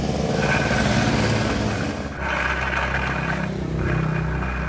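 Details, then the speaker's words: Suzuki Nex scooter, rough growl in the CVT area: gravelly growl under the engine note swelling with throttle; pulley ruled out, teardown found worn final drive (ratio block) bearings on the rear axle shaft, which were replaced. "seperti ini suaranya kokok suaranya ngorok kita buonggar saja bagian blok di bagian Rasion"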